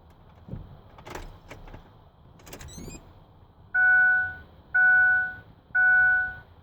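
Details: 2006 Ford F150 no start, no crank after water and oil found very low and refilled, battery disconnected to reset: quiet cab, 12 beeps alternating 6 high and 6 low tones about once a second; warning chime, cause not found.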